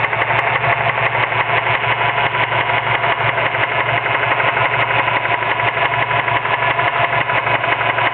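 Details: Mazda 6 at steady idle with a regular light knock about three per second from a worn serpentine-belt idler pulley bearing; replacing the belt, idler and tensioner pulleys fixed it.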